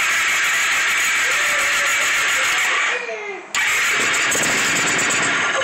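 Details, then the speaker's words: Kawasaki right after drive belt replacement, belt light off: starter catches quickly and engine settles into a steady, even idle with no odd noises; normal start and idle. "And you're ready to go. Belt light's off, and it's ready to go."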